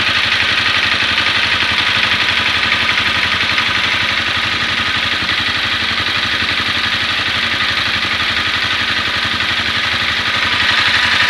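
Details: Honda CBR250R single, warm at idle after a 15 km ride: fast, light metallic ticking about four per second over the exhaust. Top-end tick, shim or tensioner suspected, not confirmed.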